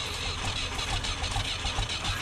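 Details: Tractor abandoned about 40 years since the early 80s, freezing morning, starting fluid used: steady rhythmic starter churn turning the engine over, never catching or speeding up; cranks but won't fire, timing possibly off.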